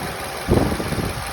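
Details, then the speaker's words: Nissan Rogue after valve adjustment, engine warm; idle runs steady and even with no tapping, misses or hunting, sounding smooth and healthy, with 500+ km driven since without problems. "Ось такі оберти. Робота вона гарна. Я задоволений."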